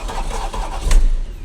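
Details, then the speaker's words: Porsche Panamera (Mansory kit) with failed engine cranks with a coarse churning, then a harsh bang and stops dead; camshaft turns but noise is horrible, serious internal mechanical fault suspected, not confirmed. "Il tourne, il tourne. Il se bloque d'un coup, hein. Ouais, mais il est horrible le bruit."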